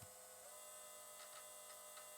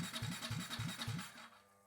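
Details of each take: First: KTM RC 390 project fuel pump under MaxxECU control run at 90–99% duty, about 6–6.5 amps: quiet steady electric whine with constant pitch, no surging or rattle; pressure holding at 49.5 PSI, normal operation. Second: KTM RC 390 build, fuel pump run through a MaxxECU at up to 99% duty, holding 49.5 psi at about 6.5 A: pump hum pulses about four times a second, then fades out at about 1.5 seconds. The pump stalls and pressure drops; voltage is suspected.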